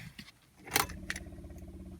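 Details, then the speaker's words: 1991 Ford EB Falcon GL, 3.9L SOHC inline-6 swapped to an XF carburetor, at key-on: a quick run of even clicks, about a dozen a second for a second, then stops; normal fuel pump priming. "hear that clicking sound that's the fuel pump"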